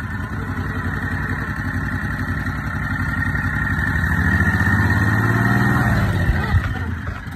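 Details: Big Block EZGO golf cart just after fitting a new Amazon 780 Comet clutch, replacing a failed CVT Tech clutch, with the belt refitted. The single-cylinder engine putters evenly, rises smoothly as the throttle opens, then settles back; it runs clean and healthy.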